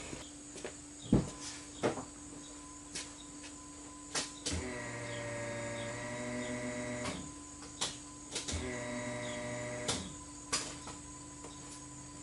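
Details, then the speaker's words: Dodge Neon SRT4, new stock-style fuel pump just installed, relay refitted and key turned on: two short, even electric hums of about two seconds each among handling clicks; pump primes cleanly and sounds healthy. "I'm going to go reinstall the relay quick and turn the key over, and we should hear this pump cycle on."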